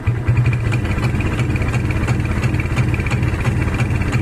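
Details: Kawasaki Barako 175 single-cylinder revved from a normal idle: low, uneven putting with irregular stumbles about three a second and no clean pickup; sputters and bogs under throttle, cause not yet known.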